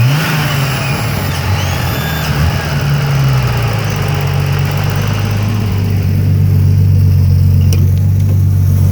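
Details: BMW E30 with turbo M30 engine running again: thin high whistle over the idle, shifting pitch with revs; vacuum leak.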